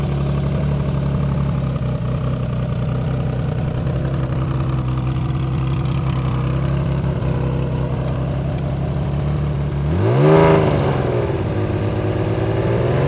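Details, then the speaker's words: CBX 1000 six-cylinder with aftermarket air filters and a loud exhaust, run after standing for a couple of years and still needing a service: a steady deep idle, then one quick rev that climbs and falls back cleanly; runs okay. "as you can hear it runs okay but it does need a service because it's been standing still for a couple of years"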